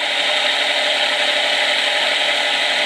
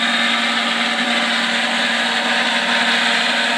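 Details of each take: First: Micro hydro turbine running on the small jet wide open, larger jet about quarter open; steady even water hiss and whirr, no knocks or grinding, turning slowly but smoothly; normal running at low speed. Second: Micro hydro turbine with a big nozzle fed at almost 50 psi: steady rushing water jet with a fixed hum near 230 Hz, raspy and slowing down; the water supply is too small to keep the nozzle fed.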